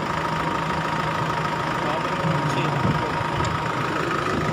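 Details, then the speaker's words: Isuzu MU-X diesel after fan belt and tensioner bearing replacement: steady idle with an even low hum, the earlier chirping squeal from the belt gone; normal idle after repair. "Oke ini mobilnya sudah hidup Ya sudah enggak bunyi Cit Cit Cuit lagi sudah halus Ya sudah reda suaranya sudah kembali normal"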